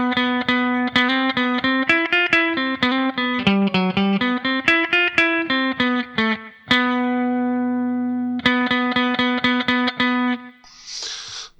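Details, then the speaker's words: Guitar after filing, restrung and tuned: plucked notes ring clean and sustained with no rattle or buzz on any string; fret buzz gone. "you go, no more fret buzz. So that's how easy it is to get rid of a little bit of fret buzz."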